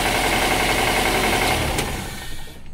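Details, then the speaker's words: Daihatsu Grand Max 1.5 in neutral, odometer reading 166: rapid, steady knocking over the idle, then dies away as the engine shuts off; cause not yet found, coolant scale seen, engine to be removed and torn down; engine knock at idle. "Nah kedengaran kan kotokotokotokotokotok Nih kalau pisahkan gua gasah kkokok Nah itu keluhannya tuh di situ dan"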